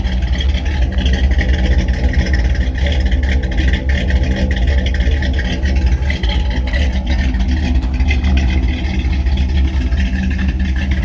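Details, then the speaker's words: 1957 Chevrolet Bel Air with a 283 V8, radiator just topped off, known exhaust leak at the manifold: deep, even burble at steady idle with no knocks, misses or ticks. Normal idle. "Has a great sound to it. It's obviously a 283, but boy, it does sound good, man."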